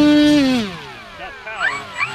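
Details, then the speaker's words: Flex Innovations RV-8 RC plane ESC after recalibration, at about 40% throttle: the electric motor whine falls away, then random scratchy warbling chirps and beeps break in as the speed controller loses sync with the motor. "Randomly, it will sound like it's going into a programming mode, or it'll just beep and sort of a scratchy sound. Not enough for me to trust this thing."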